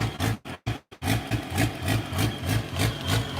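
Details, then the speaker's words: Unmuffled diesel; uneven loping idle about three beats a second, traced by spraying starting fluid around the injectors while running to one injector that is leaking, possibly an air leak. "yeah we found that yesterday or not yesterday maybe was like Saturday believe he was a spraying starting fluid while it was running around these and dictor's see if there was like a air leak or something going on"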